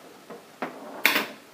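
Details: Williams System 6 pinball machine (Firepower) in built-in diagnostic switch test, ball used on switch: three sharp snaps about a third of a second apart, each louder, in a quiet room; slingshot solenoids firing normally.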